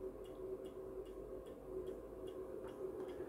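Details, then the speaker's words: MW POWER MW-SC6B charger in 24V recondition mode, not intended for a 12V battery; light regular ticking two to three times a second suggests pulsed output; desulfation effect doubted, cause unconfirmed. "bo też można powiedzieć że że to jest odsiarczanie nie wiem czy to jest to siarczanie każdy ładowanie to jest w sumie odsiarczanie"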